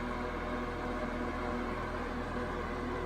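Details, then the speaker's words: 1992 Super 8" box fan model BF1000 (120VAC 30W, 3-speed shaded-pole C-frame motor, plastic blades), serviced, on high speed, slightly faster than medium: steady even motor hum with soft airy rush, no rattles or ticks; normal running. "here it is on high-speed it's ever so slightly faster than medium"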